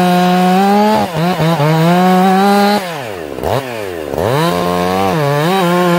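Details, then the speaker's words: Ported, very loud chainsaw, high jet correctly tuned: screams high and clean, dips under load in the cut, then recovers smoothly with no stumble. It four-strokes slightly off the cut, cleans up under load; properly tuned carburetor. "all right okay you guys hear that that's how you tune a chainsaw"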